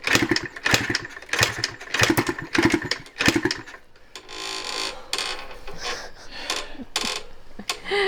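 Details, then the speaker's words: 1986 Yamaha IT200 two-stroke enduro dirt bike, after roughly 400 kicks with its oily spark plug cleaned: irregular kick-start strokes with brief pops but no sustained running. It fires but won't run. "Do you know how many it's been? Probably about 400 by now. It should have started by this point."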